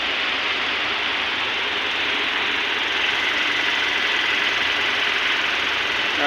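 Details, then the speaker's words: Toyota Hilux 2TR-FE 2.7L dual VVT engine just started after overhaul and timing mark setting: smooth even idle with steady hiss, no knocks, ticks or misses; mechanic calls the sound good, normal idle. "ganda ng tunog niya. Alright, success yung gawa natin."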